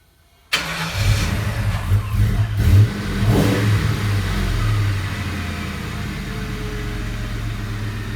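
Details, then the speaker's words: Mustang first start after installing a new exhaust with a zip-tied busted hanger: catches quickly, blips a few times, then drops to an even deep idle with no ticking or puffing; no exhaust leak heard, normal start and idle. "We're going to start the car and see what this exhaust sounds like. Hopefully there's not an exhaust leak."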